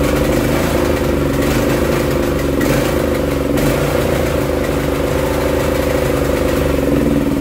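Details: Barn-find Honda GX340 generator engine on a homemade CDI ignition, under load: steady single-cylinder drone with constant low throb, holding speed; running fine under load, though hunting remains unresolved.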